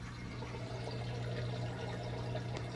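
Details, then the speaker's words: Whirlpool Duet front-load washer after drain pump assembly replacement for F9 E1 error: quiet, steady low hum with water rushing through, no rattle, strain or dripping; drain pump working normally. "can hear the drain don't hear any water dripping that's how you fix a long drain thanks for watching"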